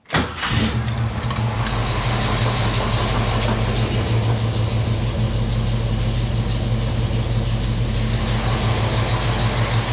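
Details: Jeep CJ-7 with AMC 304 V8 during service, oil about 1/4 inch over full: catches instantly and settles into a deep, even idle with no knocks or misses, 50 psi oil pressure after; normal cold start.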